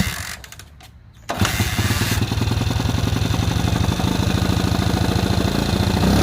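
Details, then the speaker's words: Honda CT200 (1964–67) iron-head pushrod single, non-running unknown time, plug cleaned, fresh gas: catches after tries, lumpy uneven idle, won't stay running; plug later very wet, owner plans carb rebuild, cause unconfirmed. "so that didn't take nearly as long as i thought it would to get it running um i did notice that it didn't want to stay running for long"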